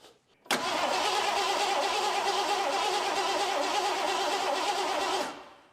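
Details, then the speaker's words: 1985/86 Ford F150 5.0 early EFI that had sat for over 20 years: steady starter cranking with the fuel pump powered that never catches; the engine cranks but won't start. "Kind of sounded like it wanted to go there, didn't it?"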